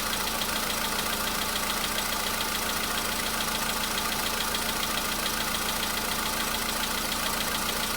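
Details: VW Polo Sedan CFNA engine on a cold start the day after an oil flush and oil change: fast light ticking over a steady idle with hiss. It is reduced compared with before and was absent the previous day; cause not confirmed. Ticking at cold idle.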